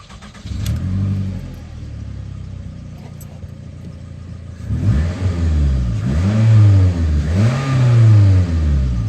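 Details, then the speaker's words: 2005 Toyota Camry PZEV after exhaust replacement, just tightened; starts, settles to smooth idle, then clean deep revs rising and falling, no rattles or leaks, about ten times better. Normal healthy exhaust note after repair. "wow that is a like 10 times better difference"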